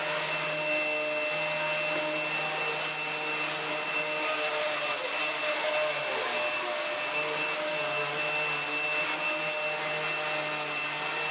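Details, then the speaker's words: Dyson vacuum with brush roll, no hose, first test run: steady high motor whine that roughens and dips midway, then settles smooth as a seized brush roll bearing violently unseizes and then runs okay. "We just had the life cycle of a seized brush roll bearing start to unseize itself, and then really violently unseize itself, and then run okay."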